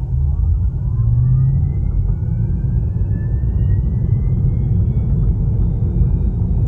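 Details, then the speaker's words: 2019 Tesla Model 3 Long Range AWD, about 1,100 miles of ownership, recorded inside: faint thin whine climbing in pitch over road rumble when pulling away from a standstill or coming to a stop; owner unsure if it's an issue, as other Model 3s lacked it. "And the last thing I want to mention about this car that may or may not be an issue is that the drivetrain has this very slight whining noise when you set off from a standstill or you come to a stop."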